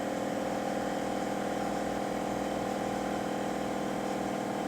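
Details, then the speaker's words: Ford Expedition rear air suspension with new O-rings, battery reconnected and switch on: the compressor hums steadily, cycling on and off, but the rear doesn't rise and the bags get no air. Leaking air. "kicked on hear it okay kicked off let's see what we got under here did it get any air on them hoping nope no air"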